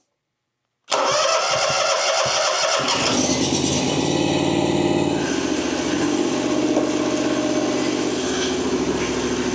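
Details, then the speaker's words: Ferris FW35 commercial mower, 1,600 hours, started after installing both hydros, park brake on and choke pulled: fires almost instantly into a smooth steady drone, no stumbling or knocking; normal start and run. "Park brake is on. We'll pull the choke out, and we should be able to fire it"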